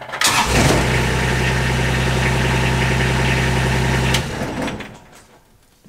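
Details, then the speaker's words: Kubota RTV 1140CPX diesel, cold start after a fuel system upgrade (new filter/separator, fuel pump, lines) that fixed hard starting and rough idle: brief glow plugs, catches almost instantly, steady even idle; healthy start. "that is amazingly fast it it turns over and starts immediately it has never done that"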